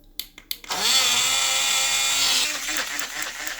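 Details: Portable blender juicer after soldering a disconnected motor wire. After a couple of clicks the motor spins up to a steady high whir with water in the jar, running evenly with no rattle; it is working normally.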